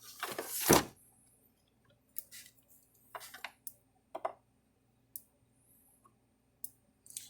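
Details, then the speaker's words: Zareba Red Snap'r Blitzer 10 Mile solar electric fence charger after repair, running without its LED indicator connected: sharp single clicks about once a second, normal pulsing; tester later shows about 7,000 volts output. "I don't know if it needs that light bulb to run or not but we're going to find out no I can hear it clicking"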